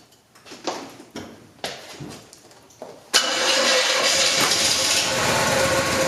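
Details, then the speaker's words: Freshly built 402 big-block Chevy in a GMC, start attempt: slow uneven cranking then a sharp pop/backfire as it catches roughly; a timing issue suspected, not confirmed. "oh you have a timing issue somewhere and it's not destroyed there"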